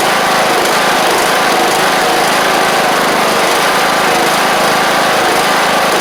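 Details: John Deere LA100 mower, 5-speed transaxle, long-sitting, hard starting from valve issues, now running: loud steady high-pitched drone, no misses or hunting; running continuously again, owner suspects failed spark plug and expects improvement with run time.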